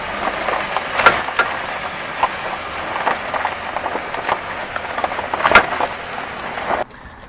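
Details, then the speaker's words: Car driven over road bumps: sharp, irregular clunks from underneath over tyre noise; cause was a worn front ball joint that destroyed itself and wore a hole in its mounting seat in the steering knuckle. "Он стучит, черт возьми, я никак не могу понять, в чем дело . Вы едете вот так , и на неровностях дороги слышен неприятный стук ."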